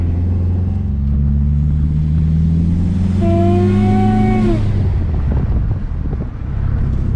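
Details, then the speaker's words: SRT4 Stage 2 on first test drive: hissing whistle climbs in pitch as boost builds over a steady engine drone, then drops off; boost leaking past a loose charge pipe coupler. "all right guys I don't know if yall saw that but it is the charge pipe coupler I saw it in the video whenever I watched it"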